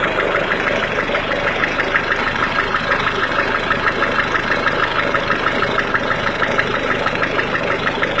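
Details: Peugeot/Citroën 1.6 HDi diesel at cold idle: steady idle with a sharp, regular clacking tick about twice a second riding over it; source of the cold engine clatter not pinned down.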